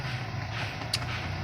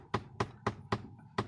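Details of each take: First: VW Polo AC blower motor after its faulty part's shaft was pulled out as a temporary fix (total replacement needed) for a loud tak-tak noise on switching on AC: smooth, steady blower hum, one light click, no tapping. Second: VW Polo with blower on after switching AC on: sharp hollow tak-tak taps about four a second from behind the dash, coming from the faulty flap motor (blend door actuator).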